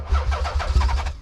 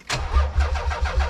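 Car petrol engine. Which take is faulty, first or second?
second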